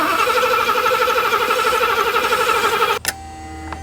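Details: 1984 Mercedes 500 SEL pre-merger AMG, mechanical fuel injection, sat 27 years: engine cranks at an even pace with steady compression pulses but never fires; residual fuel pressure but no fuel flow reaching the injectors; crank no start.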